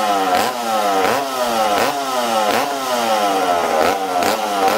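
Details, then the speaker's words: McCulloch Super Pro 70 chainsaw reassembled after fuel tank repair, 45:1 mix, low-speed jet 1.25–1.5 turns out tuned for -20° weather, run indoors; surges and sags about once a second, never cleans out; too rich carburetor mixture. "ah now friends you see how this thing's fighting me uh this saw was tuned the saw was tuned for -20 okay so this this load yet was at one and a quarter turns one and a half turns out okay uh this thing's too rich for being inside right now"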